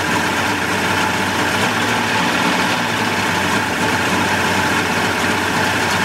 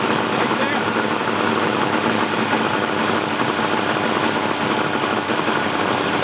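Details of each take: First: 1988 Mercury 70 hp inline three-cylinder two-stroke outboard in a test tank after carburetor work, smoking a little. Steady, even idle with a constant smooth burble over water splash and no misses or surging; runs healthy. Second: 1988 Mercury 70 hp inline three-cylinder two-stroke outboard, old and abused, running in a test tank. Loud, steady churning with no smooth settled beat; gas shoots from a carburetor jet, so something is clogged. Rough running from a clogged carburetor.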